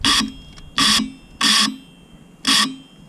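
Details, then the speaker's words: Scooter rear wheel under load: four short, harsh hissing-whine bursts, one each time throttle is applied from a stop. It is quiet on very light throttle, the front wheel does not do it, and the cause is unknown. "all right so here's what happens if it's not under load don't think it makes noise you can hear when it first kicks off [Music] you put it under load"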